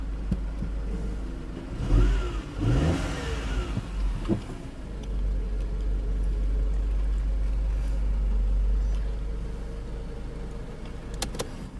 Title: Mercedes c180 first start after timing chain replacement #automobile